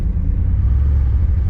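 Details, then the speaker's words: Warm 305 TBI V8 with Flowmaster exhausts that bogs once warm. TPS, IAC, MAP, cap, rotor, coil, plugs, wires and a clogged fuel filter were replaced; the O2 sensor is also ruled out. While feathering the accelerator, the low rumble still rises and sags in a mild surge, no knocks. Cause unconfirmed. "you you can hardly tell, but I'm just feathering the uh the uh accelerator, but you see how it it has that little search? It still does it."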